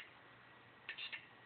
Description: A 1TB Seagate 7200 RPM SATA drive making noises when it is powered on.